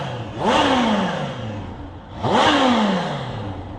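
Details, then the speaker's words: 2021 Kawasaki Z H2 supercharged inline-four with stock Euro 5 exhaust, revved while stationary: two quick blips rising sharply and falling cleanly, muted, supercharger barely audible; normal revving. "you can't hear the supercharger turp that much when you're just revving it but when you're riding it in aggression you can i think if you were to put an aftermarket exhaust on it it would sound a lot nicer"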